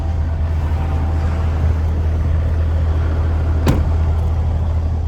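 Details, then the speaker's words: Kenny's push-button-start truck with about 44,000 miles, just serviced with new oil, oil filter and fuel filter, after oil leak and new exhaust work; starts well into a deep, steady low rumble, even beat, no knocks or misses. Normal idle. "Ooh, started up good."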